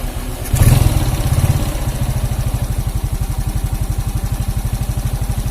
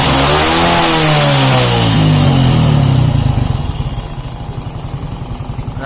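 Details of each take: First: Suzuki Shogun 125 motorcycle, hot after 5–10 minutes warm-up, smooth when cold: rough uneven idle with a rattly knock despite valve and cam chain tensioner adjustment; connecting rod knock. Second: Shogun 125 that ran smooth cold but rough when hot, after replacing the connecting rod/piston parts: revved to full and it falls back cleanly to an even idle with no knock or rattle. Smooth revving.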